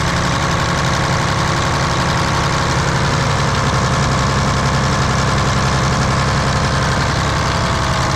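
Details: Volvo A30C articulated haul truck diesel at idle, inspected for purchase, with a constant raspy chuff on each firing pulse; exhaust leak the seller had disclosed.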